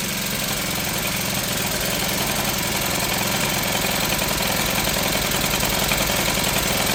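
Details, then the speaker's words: Troy-Bilt four-stroke backpack blower after Seafoam was added, choke off: a steady but slightly uneven, ragged idle, a touch rich, maybe just cold. The owner says it is not perfect, distrusts the filter, and has a new carburetor ordered; the cause is unconfirmed. "I don't know that she's running perfect, but I bet if we took it out and ran it for a while, that it would straighten up."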